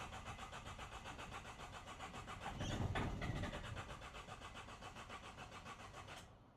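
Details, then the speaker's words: Mercedes OM651 diesel with Delphi injectors after fuel system and injector work: steady starter chug about four beats a second, briefly picking up and smoking at the rear, then fading; cranks but won't fire. "You know, it it's You think it's going to start It's not starting, but you can tell it starts smoking at the back."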